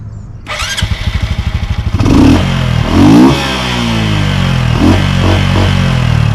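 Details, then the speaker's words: Honda Super Cub with K&N and Chimera cold air intake and Dynojet tune: starter whirs about a second, the single catches, blips, then settles into a brisk, even buzzing idle, throatier and angrier than stock; healthy start. "So still sounds like an angry weed whacker, but it's a little more angry than a standard would be."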